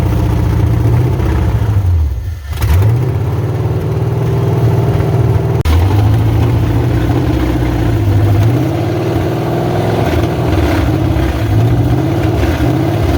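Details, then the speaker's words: 1986 Chevrolet Silverado C10 with carbureted Vortec 350 swap and TH350, first fire-up on open pipes: loud lumpy V8 burble with throttle blips, even firing, no knocking; timing fully advanced; engine healthy, possible transmission pump/torque converter binding suspected separately. "Well, she runs. I mean, I don't hear no knocking or nothing, so it ain't nothing in the motor."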